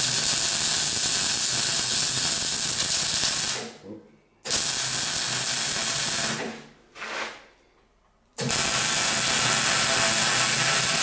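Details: MIG welding on a classic Mini roll-over jig over uncleaned painted metal: harsh crackling weld hiss with sputtering pops. The spatter comes from paint contamination and gets better as the paint flakes off while welding.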